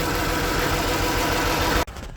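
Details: 2008 Mazda CX-9 with code P0201, cylinder 1 misfire; the idle is lumpy and uneven, then cuts off; cylinder 1 injector measures about 300 kilohms against an 11–18 ohm spec; misfire from an open-circuit fuel injector.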